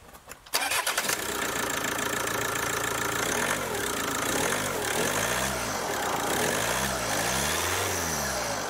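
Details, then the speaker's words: Kia Ceed diesel with Bosch EDC16 engine ECU, test with the original ECU refitted: short crank, catches quickly and settles into an even diesel idle with no misses or knocks; starts and runs normally. "Robimy próbę czy oryginalny sterownik silnika działa"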